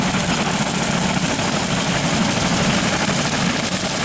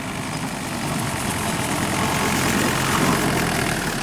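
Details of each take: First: Tractor at 1500 rpm with a Woods 15 ft brush hog cutting golf course grass, taking a slow wide turn with no stress on the vertical drive. Steady deep rumble, even drone, no knocks or clatter. Normal running under light load. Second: Woods 15 ft brush hog with engine governor, cutting grass: loud steady roar with a busy rattling chatter on turns; welded shaft shaking, loose PTO driveline suspected, not confirmed.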